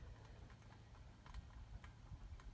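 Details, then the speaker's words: Caribbean air-cooled ceiling fan spinning with low hum and faint light clicking, three or four ticks a second, heard only when the GE fan is off; faint clicking while spinning. "yeah i can hear the clicking when it spins but only when that ge is not on"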